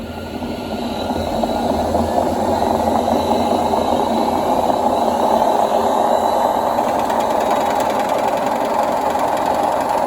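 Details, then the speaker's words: Indesit WIDXL126S washer-dryer motor on a variac after the sticky brushes were tweaked: spins up smoothly as voltage rises into a steady, even whirr with no scraping or stalling; runs fine. "hopefully if i bring the power up it's turning fine it must have been just sticky brushes somehow"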